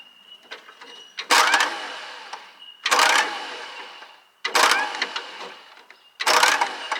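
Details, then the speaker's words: Allis Chalmers bulldozer with a Detroit Diesel two-stroke, unstarted for about 20 years, first start attempt: four bursts of harsh, high whirring grind about every 1.5 s. The starter motor spins before its pinion reaches the flywheel, so the engine is not turned. "what's happening here at the moment is the electric motors engaging before the pinions hitting the flywheel so that's why she's making that no"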